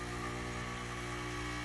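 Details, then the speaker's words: Air conditioner in cooling mode with the outdoor fan unplugged, after a hard start kit: the compressor drones with a rough buzz, and pressures stay at standing pressure with barely any change; failed compressor not pumping, to be replaced. "but it does not sound good at all. What do the pressures do? Nothing."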